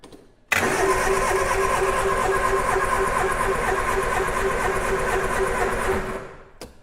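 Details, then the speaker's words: 1967 Triumph Spitfire junkyard revival: steady starter cranking about three compressions a second for six seconds, never catching; no spark at the number one lead, points badly pitted, to be replaced with new ignition parts. "I'm not seeing any spark so we're gonna go ahead and replace the point set because it just looks so nasty and pitted"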